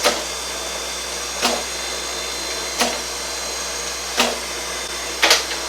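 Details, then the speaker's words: Reid 2-B surface grinder power feed with new motor: steady hum with a soft clunk about every 1.5 seconds as the table moves and reverses, now traveling in the correct direction; working normally. "so now I want this table to move towards me to the left yeah it does that's what it's supposed to do"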